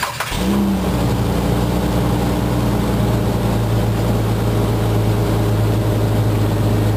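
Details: 2004 Jeep Grand Cherokee Columbia Edition, trail-rated 4x4, started on a jumper box due to dead battery: right after start settles into a steady even low rumble, no knocks or misses; normal idle.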